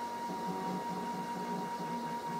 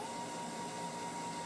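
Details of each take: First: MDF CNC router stepper motor after its drive current was turned down from full power: a faint, steady high whine with a soft hum. The harsh humming disappears, since too much current had caused the noise. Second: MDF CNC router stepper motor at full driver current: steady, strained high whine near 900 Hz over a rough hiss. Too much current; turning the current down makes the humming disappear.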